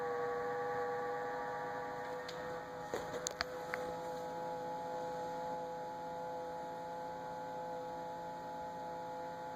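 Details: Samsung refrigerator: steady high whine with lower hum and a few brief clicks midway; abnormal fridge noise, cause unknown.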